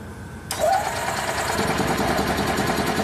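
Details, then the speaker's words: 2004 EZ-GO gasoline golf cart, no-start after driving through a deep puddle: starter cranks steadily for a few seconds but never catches; weak spark, and the light green ignition feed from the foot pedal switch drops out, suggesting a bad contact between battery, foot switch and ignition switch. "nope we still have a dropout very interesting so on this light green wire we don't see a good voltage"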